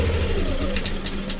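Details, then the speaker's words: Scooter after an ISC reset: with the ISC valve reading 24–22 and the idle bypass hole blocked, the idle note drops away and the engine dies within about a second. This shows the idle valve is fully shut and the calibration is correct. "Ayun, so ibig sabihin kapag namatay yun, nakasarado yung bulb, tama yung calibration natin."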